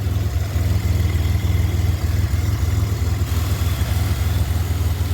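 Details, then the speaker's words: Rebuilt 2007 Grand Prix supercharged engine warmed up after 10–15 minutes: 2.9 pulley, intercooler plumbed, PCV blocked off with breather, 69° intake air, 184° water temp. Deep, steady, even idle with no misses or ticks, no leaks; healthy. "So she running. Got the intercooler on. Everything's plumbed. No leaks. Sounds good."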